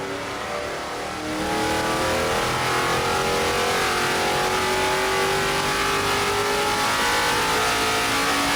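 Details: Rebuilt junkyard Gen 3 Hemi V8 dyno pull, with a stock short block and heads plus springs, cam and intake manifold: it pulls cleanly from low revs to a high scream with the pitch climbing smoothly. It made 540.7 hp at 6600 rpm and 494.4 at 5200; strong, healthy engine.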